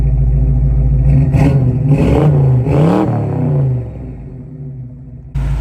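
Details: 1979 Mercury Capri under acceleration: a deep, even V8 rumble that swells smoothly with revs and eases back, with no misses or knocks, despite a noted shifting problem. Normal exhaust note under acceleration.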